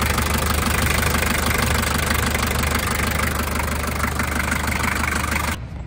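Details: Toyota 3B diesel in a 1984 Land Cruiser, still a bit cold at idle, before adding Sea Foam to the oil: a steady quick light tapping, about three a second, rides over the clatter, pointing to noisy valves.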